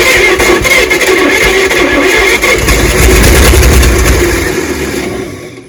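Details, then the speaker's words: 1938 Chevrolet Master Deluxe sitting since the early 1970s; fast cranking with a few ragged catches that never build into a steady idle; fires briefly but won't stay running. "we did hear it run a little bit we did we had it barking off a bit it just wouldn't keep itself running"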